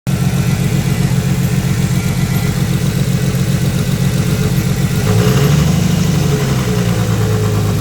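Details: Nissan Skyline RB25DET S2 turbo six, first cold start in 8 months, idling with a rough, uneven low chatter under the exhaust; pitch lifts briefly; noise goes away above 2k rpm; unidentified idle noise.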